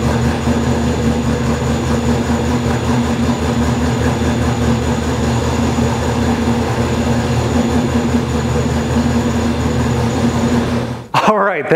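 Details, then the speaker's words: Ford 302 Windsor V8 in a small black Ford Mustang at first start after a distributorless coil-near-plug conversion (Godzilla coils, Crown Vic EEC-V ECU, mostly junkyard parts): steady, even low rumble, constant pitch, no misses or knocks; normal idle, stage one of a tune. "engine runs it sounds pretty good so this is just stage one of the the tuning process"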